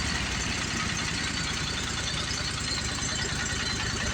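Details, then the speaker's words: Commercial Briggs & Stratton 25hp V-twin on a Simplicity Champion XT 48-inch zero turn, heads replaced after a pushrod problem, oil leak believed to be a loose filter. Throttle raised; smooth, even idle, slightly slow, so idle will be bumped up. Motor sounds good: normal idle. "And I think the motor actually sounds good."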